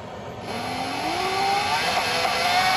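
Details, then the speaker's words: 72V custom Voloci e-bike with Boma MY1020 motor on a Votol EM100 controller. Whine climbs with throttle but wavers and stutters, RPM erratic, fine only at slow speed. Owner suspects faulty hall sensors. "yeah that still kinda messes up you can hear it [Applause] yeah it starts going crazy"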